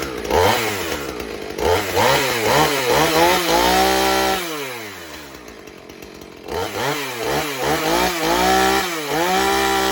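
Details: 2007 Husqvarna 450 e-series chainsaw, 50cc two-stroke with 20-inch bar and chain, just started on choke: catches and revs in repeated bursts, dropping to a steady idle between, with clean crisp response and no misfire or rattle; running normally.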